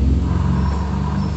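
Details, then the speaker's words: Honda Vario scooter rolled backward: low rhythmic huffing rumble from the CVT; cause not yet found. "ini ada suara di bagian sini seperti ini kalau di mundurin keluarin dari rumah atau mundur bunyinya seperti ini"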